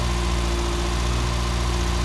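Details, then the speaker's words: MG Metro, first start after bleeding fuel, choke in use then let out, air filter fitted: steady, even low idle, smooth unbroken beat, no misses or knocks; strong rich petrol smell noted but runs well. "Does it smell a bit rich though? Does smell a bit petroly? It's a strong strong smell. Smell running good."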